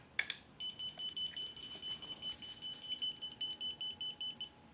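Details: Unicycle anti-theft alarm on sensitivity setting one, pick-up-and-roll-off theft simulated: shrill high beeps pulsing about two to three times a second after the movement trigger; the alarm responds as intended.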